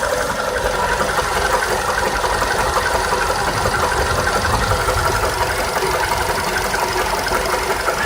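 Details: VW Polo Sedan at idle: steady idle with a rapid metallic knocking, roughly three per second, over the engine note; engine knock from inside the engine, cause unknown.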